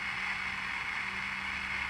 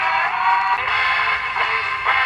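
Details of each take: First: Vintage Philco T66 or Zenith Royal 80 AM pocket transistor radio during repair: steady, even hiss with a faint low hum over the broadcast; suspected noisy transistor, not confirmed. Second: Philco T66 or Zenith Royal 80 vintage pocket AM transistor radio after repair, working with what controls it has: station audio comes through clear and full, with no hiss or crackle, and the set is clean and sensitive.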